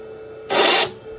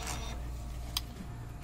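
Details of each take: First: DTF printer capping station spinning as the carriage tries to move left, blocking it; steady faint hum then a harsh raspy screech about a third of a second long; timing belt checked and correct, clear belt not the cause. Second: DTF printer starting a head-cleaning cycle: soft whirring and clicks as the capping station, blower and wiper wipe the carriage underside. This is the normal cleaning sound, unlike the screech from the wiper and lock rising together.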